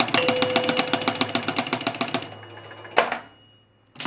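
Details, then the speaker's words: 1976 Gottlieb Target Alpha EM pinball, out-hole scan with two drop targets down: quick relay clicks then only one bell (1,000 points) instead of two; scan disc misadjusted, fixed by loosening three screws and rotating it. "so when i hold the out hole and it scans we should get 2 000 points but we're not gonna we're only going to get one thousand listen there was your 1000 and but you only got it here i'll do it again you can hear the bell only once"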